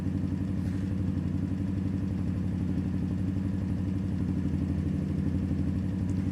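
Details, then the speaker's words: Yamasaki YM50 RE 50cc motorcycle with electronic carburation, first cold start of the day: even, quick single-cylinder putter with no misses, idle climbing toward about 2000 rpm as it warms; normal, with e-carb clicking adjusting mixture. "as you can hear now the revs are starting to increase and that means it is getting closer to a position that you can actually ride it"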